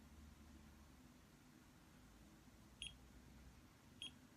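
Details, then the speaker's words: Blue light therapy acne pen (one AA battery, 415 nm blue light, heats to 42°C) gives two short high beeps in a quiet room, the normal operating beep showing it is switched on and working. "you hear this sound listen to the beeping sound"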